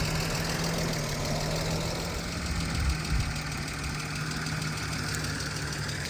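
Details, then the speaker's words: BMW E36 idling after sitting for a while: light, quick top-end ticking about three per second over a steady idle, present only at idle and less when revved. Owner suspects valves and possibly a vacuum leak; cause unknown. "I don't know what that clicking noise is. I thought like it's the valves cuz it's been sitting for a while."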